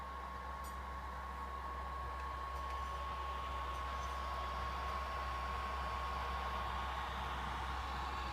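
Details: PS4 idling on the MGSV title screen: steady airy fan rush with a faint whistle at one speed; fan running loud while idle, owner unsure whether it needs replacement.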